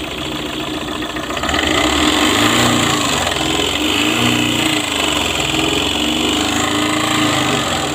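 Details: Tata Super AC with Dicor diesel engine at idle: harsh, uneven clatter about three beats a second with a stumbling beat, knocking and misfiring, cause unclear.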